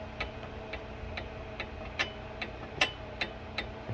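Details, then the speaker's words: 2018 Ford Fusion Sport 2.7 turbo front brakes with aftermarket Centric pads: sharp metallic clicks as pad shifts back and forth in caliper bracket, causing clunk when stopping or gently braking. "i can move this pad back and forth in the caliper bracket so every time i was coming to a stop the the pad would shift uh back and forth on the bracket and give me that clunking noise"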